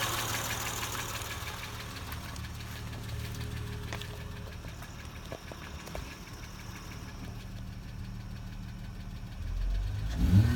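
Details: Acura TL at idle: light, quick ticking about four per second over a smooth idle, steady with engine speed; top-end tick, cause not pinned down.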